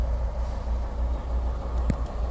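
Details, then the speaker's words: 2022 MG RX8 that would not crank after an accident (airbag light on, safe mode); after seatbelts replaced and airbag control unit reprogrammed and refitted, it starts, airbag light off; low steady even idle rumble, no misses or hunting. "بعد بعد بعد المعالجه السياره اشتغلت احلى ما يكون ولمبه الايرباك طفت"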